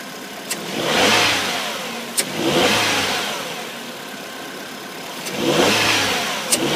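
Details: Ford Fiesta (India) engine just after the first cold start of the day swells up and down in waves, with sharp clicks between them.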